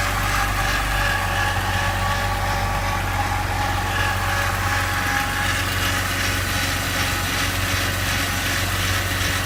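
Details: BMW E46 330i petrol engine at a steady idle with a faint irregular rattle from the front oil pan area; AC compressor, belts and pulleys, water pump and VANOS already ruled out; cause unknown; abnormal engine noise at idle.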